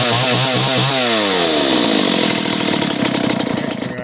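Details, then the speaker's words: Stihl 028 AV Super chainsaw after top-end rebuild with Highway cylinder, piston and kit, retuned, two tanks run: high two-stroke wail dropping smoothly off throttle, clean and crisp; runs healthy. "Again, I only have 2 tanks through it, but it sounds good, and I haven't had any issues yet."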